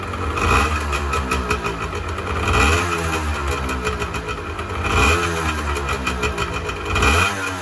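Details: 1986 Honda NS400R 400cc two-stroke triple, started after 11 months: crisp, busy idle with the odd pop from the pipes and small throttle blips; sounds healthy.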